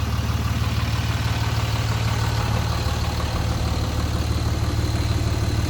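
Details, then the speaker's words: Cummins diesel, second start after fuel filter replacement with the fuel system primed: starts promptly to a steady, even low idle of about three beats a second with no stumbles; normal idle. "Okay. There it goes. Nice. Just so you guys can hear it. Definitely running."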